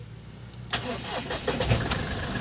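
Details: Mahindra Bolero BS6 diesel, 700 km, after a new urea (DEF) tank was fitted to cure a urea light and missing level reading: starter whirr, a few cranking bursts, then it catches and settles into steady idle; normal start.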